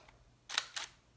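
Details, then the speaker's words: Nikon D750 DSLR: two crisp mechanical clacks about a quarter second apart as the mirror goes up then down, audible because of the mechanical mirror release inside the body; normal shutter and mirror operation. "That's the shutter on the D750, and that is just the mechanical release of the mirror. It's going to make a noise because there is a mechanical component operating inside of this camera."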